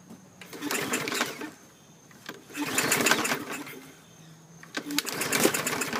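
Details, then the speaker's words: 2017 MTD push mower, Briggs & Stratton engine, automatic choke: repeated pull-cord cranks with short whirring compression bursts that die without catching; plug rusty, moisture suspected in cylinder; cranks but won't start. "hmm okay we're getting close i'm gonna keep trying if we don't have any luck i'm gonna happy juice it to give it some persuasion"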